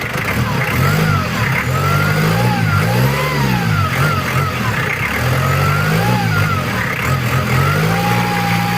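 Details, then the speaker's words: Mitsubishi Challenger 4M40 turbo diesel after repair for rough idle: rises and falls through several revs cleanly, even and steady with no knocks or rattles; much smoother than on arrival, normal. "Nah, ini adalah suaranya. Udah enak lor, daripada yang kemarin datang. Ini udah halus, udah adem suaranya juga."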